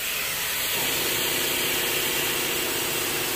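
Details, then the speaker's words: Hyundai Genesis Coupe BK1 2.0 turbo with erratic boost and lack of power, intake pressurised to about 1.5 bar (15–16 psi) by compressor in a boost leak test: a steady, sharp hiss of air leaks past the stock blow-off valve. "so essentially guys work to do compression check because I had erratic boost pressures and lack of power I still have that but you know one of this one of the reasons is the leak over here"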